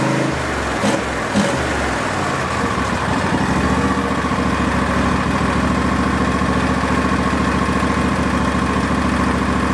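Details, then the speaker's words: Barn-find Hayter ride-on v-twin mower, second start from a jumper pack after a smoky first run: a couple of early pops, then a smooth, even beat before something turns it off. Owner suspects a safety cutout. Running normally. "at least we got run sounds nice as well I like the nice v-twin"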